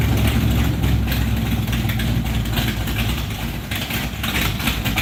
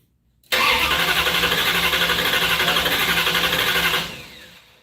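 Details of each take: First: 1968 Plymouth Barracuda V8 on its first start-up: loud, lumpy idle with a heavy exhaust note that holds steady, then shuts off. Runs healthy, though a small fuel leak was found afterwards at the fuel pressure regulator. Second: 1968 Barracuda first start attempt: steady cranking at about four pulses a second with no firing at all, not even a bump. The owner suspects no spark and wonders about the ignition box rev limiter setting and whether the distributor is plugged in.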